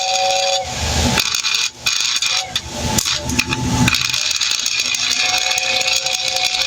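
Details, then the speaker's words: Lionel motor-driven air whistle whose relay contacts seem corroded or dirty: an airy whistle hiss cuts in and out in short bursts, then holds steady as the motor comes to life when the relay is hit just right. "Aha, a motor comes to life if I hit it just right."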